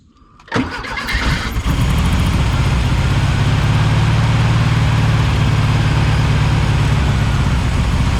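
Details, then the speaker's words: 1976 Volkswagen Beetle with '40 Ford kit, sat for years, cranking while fuel pump fails to pump gas to the carburetor; steady starter churning near four beats a second, never catches: crank no start from fuel starvation. "i'm pouring the gas but it's not uh it's not pumping"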